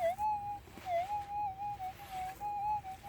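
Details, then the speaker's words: Minelab GPZ 7000 in manual ground balance mode as the coil sweeps a small gold nugget. A steady mid-pitch hum dips into a lower warbling tone about once a second: a low-tone target signal, clearer than in auto mode. "Yeah, definitely better than in the auto mode."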